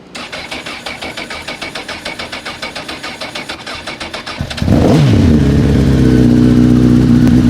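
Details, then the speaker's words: First start on its own fuel of a crashed 2006 CBR1000RR with 22,995 mi, after a broken wire was fixed. Starter cranks at about four turns a second, then it catches into a slightly uneven, sputtery idle. Owner suspects water in the tank caused coolant in the oil. "a fantastic sound. Sounds a little sputtery. It seems to sound all right, though."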